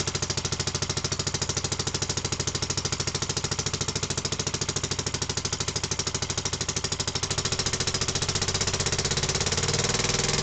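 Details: Barford Atom with Villiers Mk10 two-stroke single after new piston rings, cold start on choke, first test run: quick, even single-cylinder beat at steady speed with no misses or knocks; normal running.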